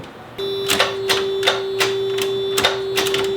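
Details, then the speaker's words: NA Miata after sitting 3 years: key turned, steady warning chime and irregular clicks but no cranking; under 12 volts measured, owner suspects no power and plans to boost it. "I think it's just no power, which means we're going to have to boost it."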